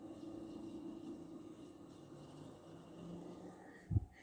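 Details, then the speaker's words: Frigidaire R410A window air conditioner just cycled off in an upstairs room. Soft, steady hiss with a faint gurgle as pressures equalize: normal refrigerant flow after shutdown. "even though it is r410a it still has a nice refrigerant sound"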